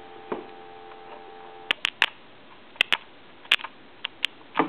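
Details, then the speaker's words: Western Electric Snoopy telephone: steady dial tone cuts off abruptly with sharp clicks as hook switch is tapped; bad hook switch on main PC board drops the line. "you can probably hear that so the switch is bad basically is what it comes down to"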